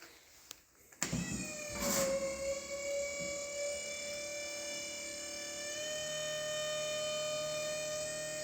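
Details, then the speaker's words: 2011 Kawasaki Mule 4010 diesel UTV, engine not running with head off: a click, then the small electric marine trim pump driving the hydraulic bed dump whines steadily and evenly as the bed lifts. Normal hydraulic pump operation. "but it's nice having an electric dump all because of that little Marine pump the little Marine pump for trim works"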